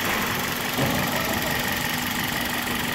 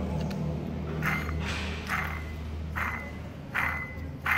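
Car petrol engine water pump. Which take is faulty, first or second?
second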